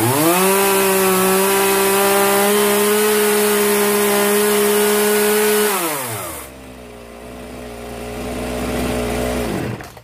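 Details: Zenoah 3800 chainsaw after carburetor mixture adjustment: clean, steady high-pitched scream at full revs, smooth drop to idle, then shutoff; runs right.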